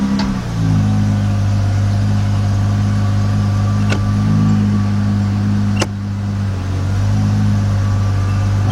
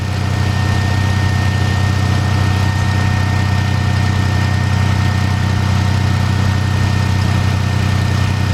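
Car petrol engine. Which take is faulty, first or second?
second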